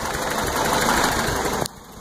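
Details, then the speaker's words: Toyota truck just revived after new timing chain, oil pump, water pump and exhaust work: uneven, sputtering, shaking idle before cutting off; owner suspects timing not set right or an exhaust leak; better with throttle, distributor tweaks change it, not overheating. "but you see how it's sputtering that's what I'm curious about if anybody can tell me why this thing is sputtering and shaking a little bit I probably don't have the timing just right for sure because uh"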